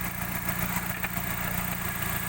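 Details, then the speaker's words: 2000 Suzuki Baleno DX manual, petrol engine idling with the hood open: steady, even idle with a soft regular pulse and no knocks or misses. The engine sounds smooth. "Mesin juga suaranya masih halus. Kita nyalakan sini ya. Nah, suaranya masih responsif."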